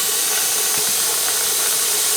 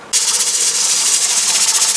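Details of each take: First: Presto pressure canner holding 7 quarts of potatoes, venting before the weight goes on, run at 10 lb pressure in Florida. A constant, even hiss with no sputter or pulsing. This is normal steam venting. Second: Presto pressure canner holding 7 quarts of potatoes, stove still on high: loud continuous hiss with a fast rocking flutter like a steam engine as the weight rocks hard and vents a lot of steam; the heat is too high and must be turned down.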